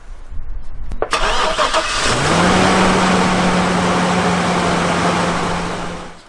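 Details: Chevrolet Silverado jump-started from a portable booster pack with its battery cable disconnected: a brief crank, then it catches on the first try and settles into a smooth, even idle; a clean, normal start.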